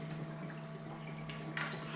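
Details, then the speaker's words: Series 8 printer commissioning, makeup fluid bottle pushed into septum cup, draining into makeup reservoir over 20–30 s: soft irregular gurgles and drips over a low hum, stopping when full; normal fill, display changes to makeup OK. "takes around about 20 seconds 30 seconds to drain into the printer you'll hear it stop gurgling and you'll also see this level here instead of saying makeup low it will say makeup okay"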